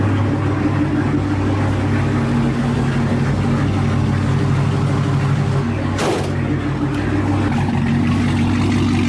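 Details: Chevrolet Camaro ZL1 V8 after replacing a damaged spark plug; steady even idle with smooth low burble, no misfire or knock: normal idle.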